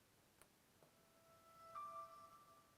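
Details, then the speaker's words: Special-edition Xbox Series X that was bought with no picture output, now repaired and partly reassembled, pressing the power button to turn it off: two faint clicks, then a soft rising chime that fades over about a second. Normal shutdown chime. "okay I'm going to press the button to turn it off so you can hear the noise and I'll actually stop talking this time"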